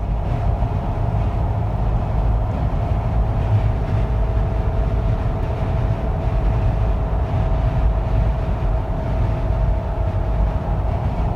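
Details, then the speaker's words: 2013 Jeep Wrangler JKU with roof LED light bar after fitting a strip along the protruding fins: steady low road and wind rumble at speed, no sharp whistle; whistle fixed. "It's sticking out a little bit, but yep, no more whistling noise. Everything's good to go."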